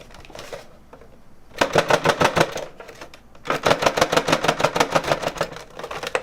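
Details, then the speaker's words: PlayStation 2 with an unsecured hard drive: quick clattering bursts about three a second over a quiet hum as the loose drive rattles in its bay; the drive still works. "now keep in mind the hard drive is all still fine but it's not super stable in there"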